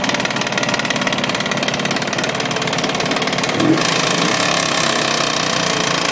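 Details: Jawa 638 two-stroke twin: sharp metallic knocking at about three per second over a busy idle, appearing only once fully warm, first under load, constant after about 5 minutes; cold is fine. Separators, cylinders and rings already replaced, heads checked; cause unclear.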